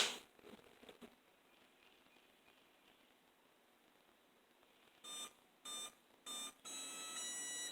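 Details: First power-up of a 3D-printed axial flux BLDC motor (8 magnets, 6 coils) on a sensorless Hobby King ESC: a quiet room, then a short run of clean rising startup beeps. Normal ESC startup tones.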